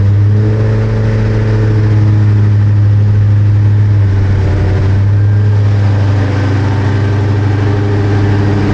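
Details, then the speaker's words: 2003 SVT Cobra V8 first cold start in cold rain after engine removal and valve guide and seal repair, headers burning off residue, check engine light on: strong, steady low idle rumble, even firing, no ticks, knocks or misses; sounds healthy. "So far, so good, guys. Motor sounds incredible. You might even say it's whisper quiet."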